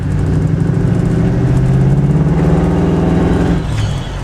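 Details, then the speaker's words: Parked-for-months Malibu wagon, believed V6, manual with goofy clutch, on first road drive: engine pulls with lumpy uneven beat, stutters and cuts out under acceleration; rough running. "Oh yeah, she runs a little rough. She cuts up a little bit."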